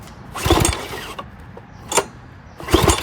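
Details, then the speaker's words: Old 6 hp Briggs engine off a Craftsman 4-in-1 push mower, feeling good compression, tried at several throttle and choke positions: rope pulls rasp through with compression thumps but it never catches. Cranks, no start. "But it looks like it could run. Just going to take this airflow box off. Sounds like it will start up though."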